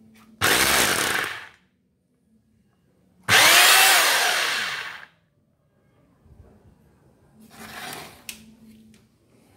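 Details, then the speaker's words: Concrete demolition drill (would not rotate) after replacing the rotor and gears: two short runs spin up to a smooth, even high-pitched drone and wind down cleanly, no longer harsh; normal motor run. "Đấy, khi thay rô và bánh răng vào, cái tiếng máy của nó có cái độ êm ngay, nó không bị gắt như lúc nãy."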